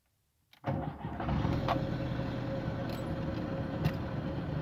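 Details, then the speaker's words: VW Gol G3 engine: cranks, catches and settles to steady idle with a faint constant whir on top, like a wearing old bearing; owner says water pump and fuel pump seem fine, cause unconfirmed (water pump later addressed). "Como se fosse um rolamento, aquele negócio velho, sabe? Uma zoadinha estranha."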